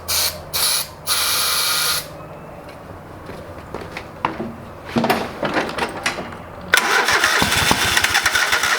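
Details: Old lawn mower's small engine just after a carburetor rebuild, with the bowl needing to fill with fuel. Several cranking bursts and a pause with some fumbling, then it catches and runs roughly. It fired, but not right up. Hard starting.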